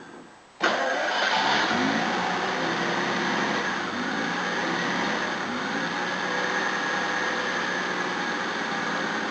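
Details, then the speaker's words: Hot restart after new timing belt, water pump, thermostat, top hose and rocker cover gasket; previously wouldn't start hot. Catches on the first crank, then a steady idle that hunts slightly before settling. Normal hot start. "That hunting's normal, it's just settling itself in."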